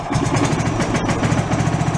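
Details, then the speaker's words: John Deere mower tractor rescued from the trash, its engine recently revived, fuel filter not yet replaced, possibly needing choke, building oil pressure: even, regular firing at a steady idle with no knocks, misses or hunting. Normal idle. "fire it up and she does everything she should"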